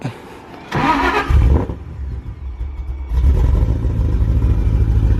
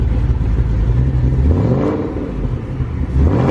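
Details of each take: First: Ford Shelby GT500 (about 900 hp) on its first start on E85 (about 77% ethanol) with a self-loaded base tune: brief crank, then an uneven, lumpy idle before a rev; rough running, check engine light, suspected throttle position sensor fault. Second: 900hp Shelby GT500 restarted after self-tuning on E85 (77% ethanol): deep steady burble, even low rumble, no stumbles; idle sounds a lot better, fuel trims within 2–3%. Normal idle.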